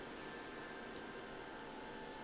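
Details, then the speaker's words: IBM 5155 power supply under load from two hard drives, tested with peripherals and mainboard disconnected, reads 5.2 V, 12.1 V and −12 V. It runs with a steady, quiet whir, hiss and faint whine and no cutting out, so it appears good. "have twelve point one volts and minus 12 volts so the power supply seems to be good"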